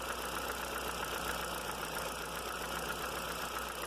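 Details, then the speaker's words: Audi A3 20-valve engine at steady idle: light, fast tick from the top of the engine, intermittent; owner suspects hydraulic lifters not pumping up, rules out valve and bottom end, will test oil pump pressure. "Não é a válvula, não é a parte de baixo. Tenho pra mim que é o tucho. Porque tem hora que ele faz e tem hora que não faz barulho."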